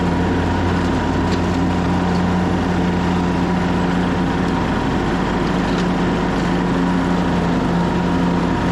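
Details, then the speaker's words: 2014 Craftsman T1600 lawn tractor with the broken blade safety switch bypassed, mowing after the deck was refitted with a tighter belt: a steady, even engine drone with a low blade hum and no slap or squeal. It is cutting normally. "let's fire it up and see if it cuts better it's much better"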